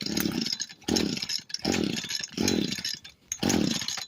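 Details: Echo SRM 225 trimmer that wouldn't start, retested after cleaning and refitting a part. Five short revving surges, each sagging and dropping away before it dies. Engine bogging down.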